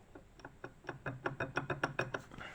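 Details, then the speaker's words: 1985 WSK 125 two-stroke engine, about 42,000 km, disassembled: connecting rod rocked by hand gives about a dozen sharp metallic clacks in loose rhythm — worn big-end play, failed crank bearing. "Jak to chodzi i stuka."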